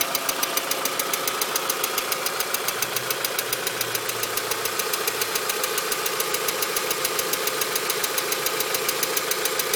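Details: VW Mk4 2.0 petrol engine idling with a fast, sharp, very even ticking over the steady engine hum; cause unknown, owner seeking help.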